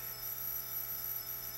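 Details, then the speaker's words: Zenith 24MC32 colour TV chassis on a jig: a weak horizontal output tube gives a loud, steady high-pitched squeal and arcs inside, with low plate current, low high voltage and a dim picture. "It's a singing horizontal output tube oh yeah now it's really going listen to its squeal and it's arcing inside"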